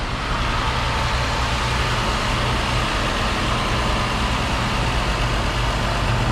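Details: 300,000-mile truck engine just restarted after replacing the taped intake boot (mass airflow/intake temp sensor unit refitted): steady, even low idle rumble, with the earlier backfiring sound gone.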